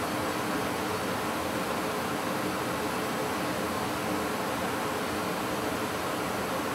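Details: Goodman gas furnace after flame sensor cleaning: steady even rush of air and burner roar with no rattles or cycling; normal furnace operation.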